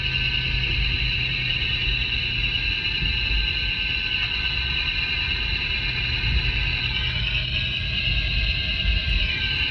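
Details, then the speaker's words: Mercedes W163 ML at 40 km/h, chassis-ear clamp on front differential: constant high-pitched bearing-like drone over road rumble, sounding like a front wheel bearing but coming from the front differential; carrier to be replaced. "The noise that I'm hearing going down the road that sounds like a front wheel bearing is coming from the front differential."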